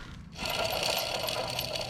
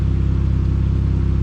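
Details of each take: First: Alternator on a Pontiac Sunfire/Chevy Cavalier, hand-spun at unknown speed: a thin high squeal over a rough, gritty growl, suspected worn alternator bearing, not confirmed. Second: Pontiac Sunfire after alternator replacement, the old one having growled: smooth, even idle with a steady quick pulse and no knocks, squeals or misses; healthy.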